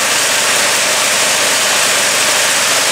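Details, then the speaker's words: Snow blower after upgrading to a 212cc 6.5 hp Predator engine: an even, steady idle with no misses, surging or knocking, and no more vibration than the old engine; running normally. "The engine's running pretty good. Listen to that idle. And it's not vibrating any more than any other engine did on there."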